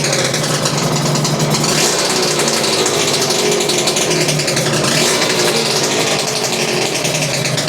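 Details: Suzuki RGV 250 VJ22 two-stroke under restoration, fuel on reserve, after recent carb issues that seem resolved: busy crackly steady raspy beat with no stalling or bogging, sounding healthy.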